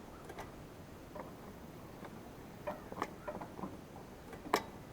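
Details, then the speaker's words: Kubota tractor that wouldn't start, engine off: sparse, uneven plastic clicks as the forward/reverse speed control pedal is worked. The pedal's safety plunger switch is sticking engaged; the fix was replacing the switch. "You hear that switch engage? The switch is actually up here."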